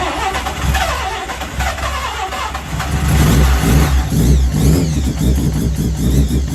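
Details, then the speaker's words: Mazda 323 with bridgeport 13B turbo rotary, start after ECU replacement and fuel rail leak fix: uneven catching and blips, choppy stumbling note, heavy smoke; owner suspects too much fuel, plans to lower mix trim; rough running. "okay she's well Out Of Tune um think it's dumping too much fuel that's Smokey as hell in there"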